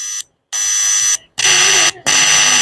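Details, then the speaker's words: Tape recorder with faint playback after head cleaning and tuning, preamp tested: strong clean high tone in steady bursts, no hum or crackle; preamp fine, so fault lies in the tape head. "So pre amp side சூப்பராக இருக்குது."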